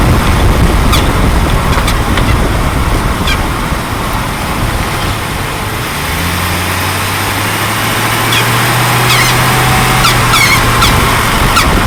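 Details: 2004 Jeep Grand Cherokee WJ while driving: short high chirps like a crying puppy over road rumble, bunching later, seeming to come from near the front driver-side wheel or front driveshaft area; squeak, cause unknown, began suddenly a month earlier.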